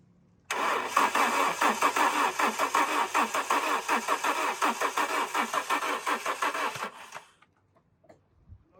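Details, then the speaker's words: Alfa Romeo 145 Cloverleaf after sitting 8 years, roughly 3/4 tank plus a jerry can of fuel: starter spins the engine evenly at nearly three beats a second for six seconds but it never fires; fuel pump not pumping, being removed. "So, a bit of an update. We found the fuel pipe. The fuel pump isn't fuel pumping. So, we're currently removing the fuel pump."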